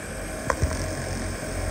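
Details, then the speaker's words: Tesla after an AC refrigerant recharge, camera resting directly on the electric compressor a few minutes after start-up: low, steady hum with one light tap, no rattle or grinding; compressor running normally. "the vibration of the compressor that is the sound of the compressor by itself"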